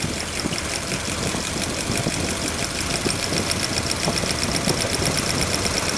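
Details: Cold start, engine under valve-lash and ignition-timing work (rocker arm lash being checked): fast, light ticking rides over a steady idle and stays even with engine speed, like a loose tappet in the valve train; suspected, not confirmed.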